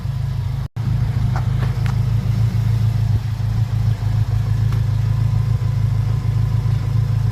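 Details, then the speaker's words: 2001 Acura Integra Type R four-cylinder sat 10 years, refreshed with repainted valve cover, first start: smooth steady idle, even low hum, no ticking, smoking or overheating; sounds healthy. "Yeah, it sounds awesome. It's quiet, everything's working, it's not overheating, it's not ticking, it's not smoking."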